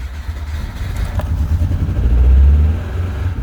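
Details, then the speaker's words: Car restarted during ongoing diagnosis, with fuel disturbed: a low, uneven engine beat with lumpy, stumbling pulses that never settle. Rough running, worse than before; owner suspects a failed coil pack. "That's worse. A lot worse. That sounds like a failed coil pack now."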